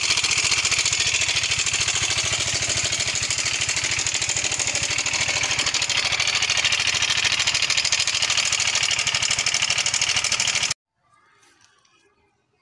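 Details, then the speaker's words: Yamaha Mio 125 (M3) with a rough engine noise and oil level OK: fast, light metallic ticking chatter over a steady idle. Mechanic suspects the cam chain and goes to adjust the tensioner. "Ee untuk mencari sumber dari suara yang eteketeketeketeketek itu tadi ya teman-teman ya ee kita akan mencoba sini teman-teman mengatur dari lift Tensioner"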